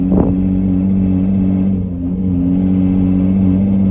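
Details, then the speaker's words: 2006 Nissan Murano SL 3.5L, new battery, warmed up, weak acceleration and limp mode, pulling onto main road: heavy low droning hum, engine strained and bogging instead of revving; owner wonders timing chain guides or exhaust, unconfirmed. "That definitely does not sound good. I did not even want to attempt to just drive it fast at all, because whatever that is, it sounds serious"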